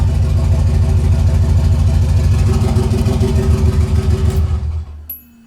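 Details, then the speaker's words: 1986 Nissan 300ZX with factory turbo setup swapped in, warm, O2 sensor just wired in: lumpy, uneven idle with a stumbling exhaust beat as it dies away. Multi-cylinder misfire, probably missing two or three cylinders; plug wires to be pulled to find them. "it's missing like probably two or three cylinders so all right check it out see what's going on"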